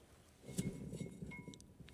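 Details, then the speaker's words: 1964 Saab 96, rear drum brakes off: the hand-spun right rear hub gives an uneven low rumble with faint gritty clicks instead of a free spin; the rear wheel bearing is worn and nearly seized. "it doesn't sound so good. There's a rumbling in there. We probably have some bearings that need replacing."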